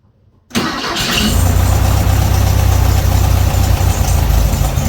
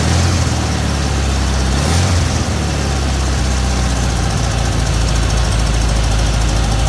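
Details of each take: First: 1968 VW Beetle after a tune-up and distributor cap and rotor swap: the air-cooled flat-four catches, then idles unevenly with irregular stumbles; a short wire had slid loose from its connection. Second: 1968 VW Beetle with points ignition, after a tune-up and distributor cap and rotor fitting: steady, even low chug from the air-cooled flat-four with no misses or knocks. This is a normal, healthy idle.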